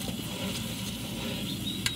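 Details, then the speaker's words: R22 package unit blowing warm air with low pressures, charge replaced by dry nitrogen at about 250 psi: soft fizzing and crackling as leak solution bubbles at a crack along the compressor side seam, which opens when the compressor heats up in summer. Unit swapped out. "the compressor was heating up this crack along the seam of the compressor was opening up the freon was leaking or the R22 was leaking out of the system"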